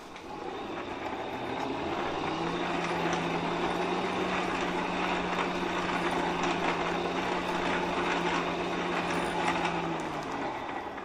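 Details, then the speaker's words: Hand-cranked blower on a coal forge with the fire packed down on the air grate: steady low hum and strained rushing air while cranking, blower struggling from restricted airflow through the fire pot. "you can hear the blower kind of struggling."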